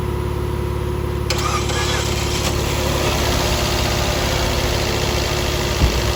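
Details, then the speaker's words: 2018 Fiat 500 after diesel was put in the tank and the fuel pump replaced, started with brake cleaner: cranks, catches, then idles with an uneven stumbling misfire; later found damaged spark plugs, debris-damaged valves and no compression. "todavía está fallando pero pagando pero todavía la flecha loca en un juego"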